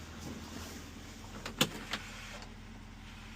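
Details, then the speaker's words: International 4400 DT466, no-start, after replacing melted 40 A ECM fuse: key-on, engine not running, faint steady injector buzz with sharp clicks, normal injector driver power-up; truck then starts. "Sounds like we can hear the injectors buzz."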